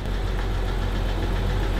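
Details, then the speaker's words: BMW F10 5 Series with the N52 inline-six, just started after sitting unstarted for months, front end crash-damaged. Deep, smooth, even idle with no ticking or knocking. A healthy-sounding engine. "I don't know if you guys can hear that but that is a good sounding n52 usually the N20 is will be a ticking Time Bomb right now but this thing solid"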